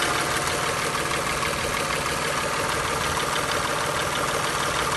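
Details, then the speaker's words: Mercedes W203, M272 2.5 L, 270,345 km, after water pump replacement; pistons rebuilt 10,000 km ago but VANOS not replaced: idle with faint quick tapping ~3/s; VANOS timing unit suspected, not confirmed. "Вот такой вот шум появился после замены помпы. До этого 10 тысяч назад двигатель капиталили, перебирали всю поршневую, так как были задиры, но ваносы не меняли. Предположительно, что стучит вот этот ванос."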